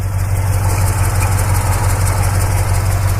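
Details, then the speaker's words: 1965 Chevrolet Custom C20 V8 with power steering: deep, even idle burble with steady beat, no ticks, knocks or stumbles, smooth healthy idle; possible slight exhaust leak suspected. "everything seems to be in pretty good order watch you rev it up a little bit you know it sounds nice and uh so I just wanted to let you hear it run you know no noises or anything like that"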